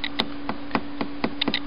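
Irregular sharp clicks and crackles over a constant low hum, a few each second; points to a slight intermittent short in the tube.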